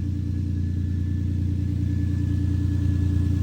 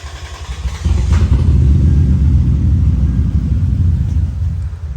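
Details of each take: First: 2003 Lexus IS 300 just after new spark plugs, coils and wires, with one cylinder at 180 compression: steady, even low rumble with no misses; normal idle, though it reportedly won't restart after shutdown unless three injectors are unplugged. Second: 2003 Lexus IS300 that cranked but wouldn't start with fuel smell, running after injectors 1, 2 and 6 were unplugged: rough, lumpy, uneven low rumble sagging near the end, missing badly on three cylinders.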